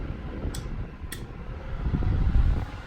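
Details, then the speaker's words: Restored 1938 GE 12-inch oscillating fan (49X929) switched to speed one, high: steady rush of air over a low smooth motor hum, no rattle or knocking, blades well balanced; normal running. "but the Fan's quiet runs great smooth next to no vibration blades are in very very good balance"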